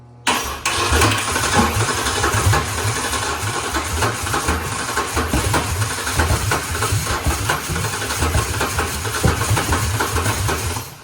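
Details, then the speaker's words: Ford Ranger (built from 1993–2006 Ranger parts) with swapped Taurus 3.0 engine and 5-speed, first startup attempt: long rough, uneven cranking that never catches; fuel pump running, cause unconfirmed. Crank no start. "Something's still not quite happy though. No, something's not right."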